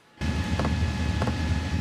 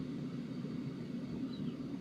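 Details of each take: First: Sunster/SunChaser HTB1 diesel air heater starting up, output still under 200 watts: soft, even ticks roughly every 0.6 seconds over a steady fan whir, the fuel dosing pump pulsing audibly. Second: Sunster HTB1 diesel air heater on lowest setting: soft steady low rumble with no ticking, though faint ticking starts returning, possibly intermittent; slightly quieter than on high.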